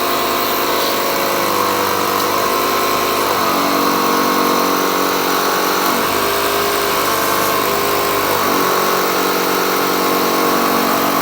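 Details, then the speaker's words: 1969 VW Bug air-shock system: compressor wired to the battery, steady motor buzz shifting as pressure builds, no hiss of escaping air, so the nylon hose holds and the air shocks are at fault; normal compressor running. "So this is where you're gonna hear the air compressor change."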